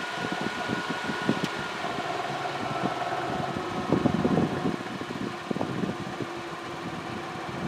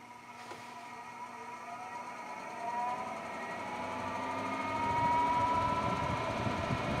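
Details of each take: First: Endless Breeze fan on low speed: a steady, even whir and hum with no wobble or beat, running stable and balanced. Medium speed shows a harmonic vibration, which is being addressed by moving the blade counterweight. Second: Brand-new Endless Breeze fan turned up through its speed settings: motor whine climbs as it spins up with a growing buzz underneath, vibrating more with speed until it walks off at highest setting; fan blade imbalance.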